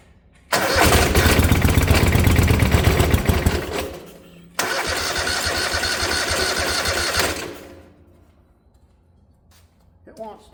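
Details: 1972 Gravely 816 with Kohler Command 18, no proper fuel tank, gas fed through filter and pump to carb: steady cranking about four turns a second, twice, no firing. Carburetor found to have fuel but very dirty, needs cleaning.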